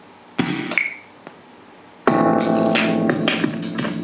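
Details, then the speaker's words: Biamp 601E 6-channel line mixer playing music: crackly, scratchy distortion from dirty pots as level controls are moved; they were cleaned with WD-40, and some channels still hum. "hear that distortion it's just something terrible when you hit these and i cleaned the pots with wd-40"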